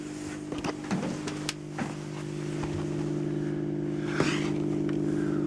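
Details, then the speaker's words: Bauknecht Stuttgart 1609 washing machine, about 18 years of use, heard near the pump behind the panel: a steady low hum with a faint higher whine and occasional clicks. The pump may be worn or broken, unconfirmed. "yeah i can hear the pump pump is behind this yeah so the question is is this pump really broken or not"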